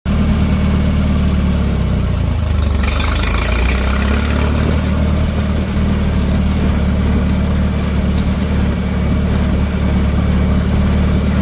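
Deep, steady low rumble with an even beat throughout and no knocks or misses; healthy tractor engine running smoothly.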